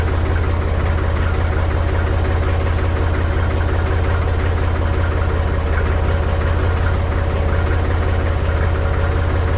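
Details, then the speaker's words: Mahindra 3525 diesel tractor, cold start at 19°F after about a month and a half unused, battery a little low: loud, low, slightly uneven, knocky chug at about three beats a second. Rough cold idle. "y'all she's definitely cold this morning she doesn't like too much I don't think it's been over a month and a half since I crank it up that battery's a little low"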